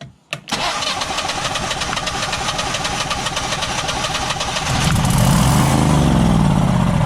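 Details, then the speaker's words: Generac Guardian 16kW standby generator during repair, manual start: the starter cranks briefly, it catches to a rough idle, then falters. The controller shows a "no RPM sense" error, not overspeed. The owner suspects it is being told to shut off rather than starved of fuel. "start and then quit but I'm thinking it's being cut off not that it's not getting any fuel but it's being told to shut off"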